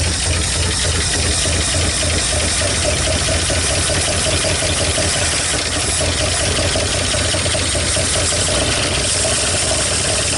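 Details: 1959 Ford Fairlane 500 Galaxie, first start in over 20 years on a chilly day: uneven, lumpy idle with a loose knocking rhythm under the exhaust rumble; misfiring and rough, plug wires being checked, cause not confirmed.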